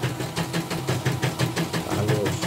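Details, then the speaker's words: Portable embroidery machine after rotary hook sanded smooth and pitted, damaged bobbin case replaced: even, soft rhythmic clacking about six a second, no scraping or grinding; hook runs smoothly and stitching is even. "Jadi sudah halus, suara sudah krok-krok-krok-krok gitu,"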